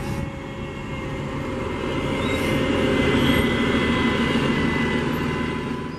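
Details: 2009 New Flyer DE41LF hybrid bus #8322, Cummins ISL EPA07 and Allison EP-40 drive: steady, odd high whine over the rumble of the bus while rolling.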